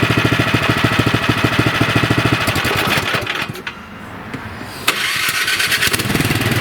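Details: Nearly new 24-inch Troy-Bilt snowblower after fixing conking out at idle and surging: runs with even steady beat, stops, restarts on electric starter and settles to smooth idle after idle speed adjustment; normal idle.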